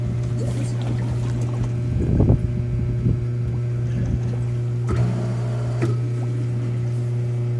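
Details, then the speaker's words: Hot tub after replacing a burnt spa pack with a BP7 (TP500), refilled, pump run on high speed to prime: steady low hum with irregular gurgles and splashes; pump purging trapped air. "air rock i just kind of turn it on high speed and then you can click it down to low speed if it starts coming out fast there it's gonna go"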